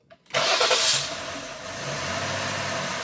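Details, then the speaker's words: 2020 Jeep Grand Cherokee 3.6, P0339 extended crank after another shop's engine rebuild (heads off), scope on crank sensor: brief crank, sharp catch into slightly hesitant idle; starts better, not extended but not perfect; damaged crankshaft reluctor tooth. "So it starts better. It's not extended, but it's not like a perfect crank either."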